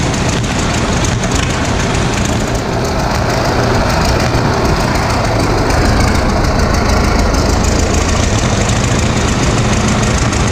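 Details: 1936 Caterpillar RD7 crawler, first start since its seized, water-contaminated starting engine was rebuilt from parts units: old diesel chugs at an even clatter of about three beats a second, firing on all cylinders; normal running.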